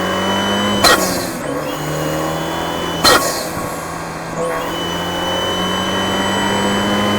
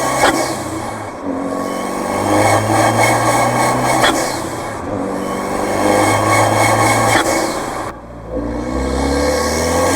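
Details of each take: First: Fiat 124 Spider Abarth turbo with Forge atmospheric BOV and wastegate actuator after fixing low-rpm BOV surging and high-rpm actuator stutter by swapping springs and lowering crack pressure from about 11 to 9.5; clean steady pull, crisp puff at lift-off. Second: Fiat 124 Spider Abarth with Forge atmospheric blow-off valve on the soft yellow spring: under light load at low rpm the engine swells and sags with sharp air puffs, boost surge; fixed by fitting the harder blue spring.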